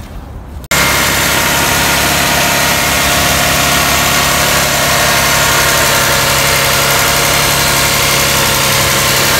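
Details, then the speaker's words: 2002-06 Toyota Camry 3.0L V6 idling during a PCV valve check: a smooth, even idle with a steady hum and faint light ticking, the PCV valve heard clicking; the engine runs normally. "so that's what I hope to do today so squid start this engine and let it idle"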